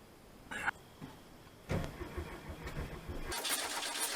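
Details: 1970 VW Bay Window bus with an air-cooled flat-four, started after sitting about 10 years; the accelerator was pumped and the ignition wiring checked first. Cranking bursts, then it catches and runs raggedly with a rising clatter before being driven out.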